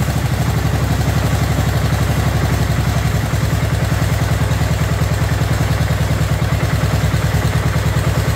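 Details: Abandoned 2004 Murray lawn tractor, Briggs 12.5 HP OHV single, first run after spark plug check: loud, heavy, uneven lumpy thumping, running rich and flooding, likely lots of gas in it; owner later suspects coil close to flywheel and adjusts carburetor.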